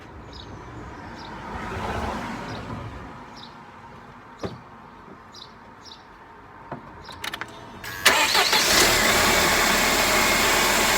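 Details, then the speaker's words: Mercedes SLK R170 230 M111 engine started after the camshaft magnet oil leak repair, with a new temperature probe and gasket maker left to cure overnight, checking for leaks. A few clicks, then an immediate, even idle. Normal start and idle. "and yeah, hopefully we can start this up and see if there's any leaks. So there we go."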